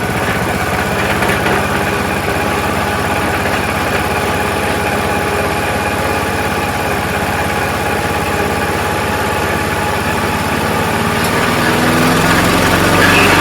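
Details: Troy-Bilt self-propelled mower with a 4 hp Briggs Quantum engine, after repair, started with a few pulls. Steady, even, fast regular beat with no misses or knocks; normal running.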